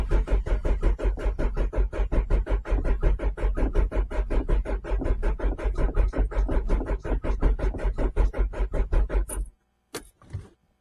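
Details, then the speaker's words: Renault Clio 1.8 16V after sitting a couple of months: steady rhythmic cranking about eighty beats a minute, won't fire; fuel pump heard running, no fuel suspected, fuel filter checked next. "well we know that the pump works now cuz I can hear it so the pump works which is great and we heard it cough a couple of times and now we've got nothing so need to figure out what that is"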